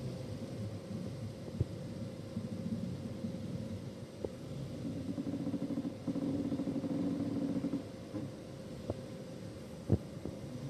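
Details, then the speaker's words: 2017 Citroën Berlingo at idle while the steering wheel is turned left and right: low drawn-out creak and a few sharp clicks from rusted front strut top mounts, fixed by lubricating them. "Evet arkadaşlar, sağa sola çevirdiğimiz zaman gıcırtı sesi geliyorsa böyle bunun tamirini yapacağız."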